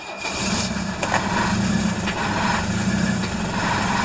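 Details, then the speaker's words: Cold start in Texas winter after two glow plug cycles, diesel (tractor, Mercedes 300D or Detroit two-stroke) idling unevenly, one cylinder dropping in and out, suspected weak glow plug, until it catches; rough cold idle. "yeah you can hear that one cylinder but probably yeah there's just one cylinder that's not hitting this"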